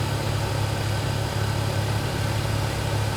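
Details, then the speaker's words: Chevrolet Cobalt, 180k miles, after fixing the broken recirculation actuator motor with zip ties: steady, even idle with low hum and no clacking or ticking from the dash; actuator now quiet, normal idle. "It's not making a noise anymore. Yep. So it's a very quick fix for this one."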